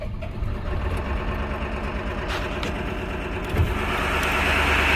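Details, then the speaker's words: 1999 Ford F-250 7.3 Power Stroke diesel after repairs, on battery charger, after wait-to-start light: slow even cranking about 3.5 beats a second goes on a while, then it catches and the note builds; hard start, then idles at 760 psi oil, IPR 20. "and we fired and now i got to get it out of the shop this thing is going to stink"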